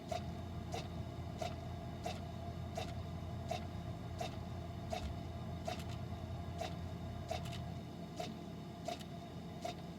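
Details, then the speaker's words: Frigidaire side-by-side refrigerator LFSS2612TF4, fridge up to 50°F while freezer works: soft clicks about every 0.7 s over fridge hum, air damper motor clicking but door stuck closed; damper replaced with part 242303001. "I can hear the door clicking but it was not opening actually had this all off in my hands and then I was able to hear the door clicking but seeing no movement"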